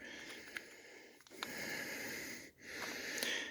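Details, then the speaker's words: Old air tool that still works but has an internal air leak: steady sharp air hiss in bursts as the tool is triggered, and it has lost full power; it needs a rebuild. "you go to use it well you can hear the air leaking in it so it doesn't have full power anymore"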